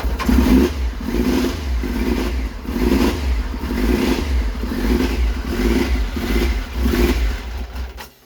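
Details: Triumph Trident triple, owner thinks a 1997, first start in over 2 years, cold on choke: revs surge and sag about every three-quarters of a second, uneven and lumpy. Rough running after storage.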